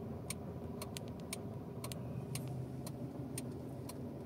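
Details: Mitsubishi Mirage hatchback, about 95,000 on the odometer, engine cold at idle: sharp light ticks of roughly two per second from the engine bay over a low rumble. Owner suspects a broken lock on the plastic engine cover or airbox, or possibly the engine/transmission mounts; unconfirmed.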